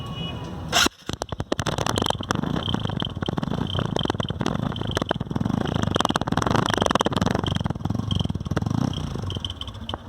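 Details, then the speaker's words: Motorcycle at idle before repair: uneven soft popping putter, like the exhaust is choked; an insect had built a mud nest inside the silencer, blocking it and changing the sound. "आप सुन सकते हैं इसके अंदर इसकी आवाज़ चेंज हो रही है और यही प्रॉब्लम है।"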